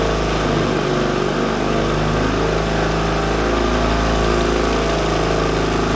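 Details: 1942 Caterpillar 212 motor grader, auction buy, after repairs: even, steady diesel chug about four beats a second, no knock or miss; the old engine runs smooth and healthy.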